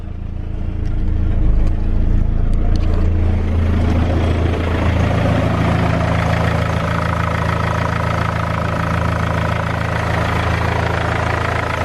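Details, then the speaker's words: BMW E46 320d touring, M47 diesel, 200,000 miles, first cold start after crankshaft pulley repair: steady idle with low rough chuff and uneven rattle; owner suspects exhaust leak from failed downpipe flexi. "So we may have a problem with the exhaust. Just want to try and get this thing up to temperature as quick as possible, really."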